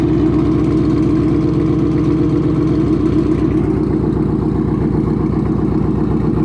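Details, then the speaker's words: 2013 Mustang GT V8 with a new return-style fuel system, first startup on an E85 tune with some 93 still in the tank: loud, deep idle with an even lope of about four pulses a second, no misses or knocks; normal idle. "Seems to be idling just fine. Sounds really good. You can smell the E starting to burn. Fired right up."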